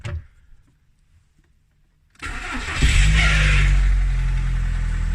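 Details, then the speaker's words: Apparently the VW Polo donor car for a Fabia 16v conversion, with electrical faults; quiet click and short sluggish crank before catching to a fast idle, slight tap from the top end; worn starter motor. "and the starter motor is knackered as well you can possibly hear the little tap that it's got there that seems to be coming from the top end not too worried about it"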